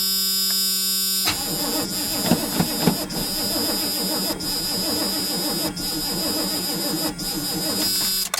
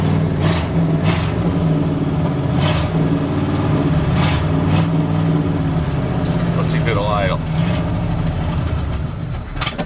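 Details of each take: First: 1984 GMC truck, gas dumped into the carburetor: starter grinds the engine over slowly and laboriously for several seconds without catching, battery getting weak, charger then used; slow cranking. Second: 1984 GMC truck running, with 60 psi oil pressure and charging at 18 volts: a deep, steady V8 burble at idle with an even beat and no knocking or tapping; normal idle.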